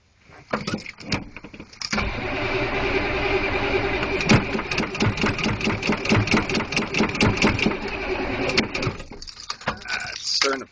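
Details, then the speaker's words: Diesel vehicle on a cold morning, cranked after a long glow plug cycle. The starter turns the engine over at a steady beat for about eight seconds but it never catches or fires: cranks, no start. "well i don't know if i'm gonna get started today bummer"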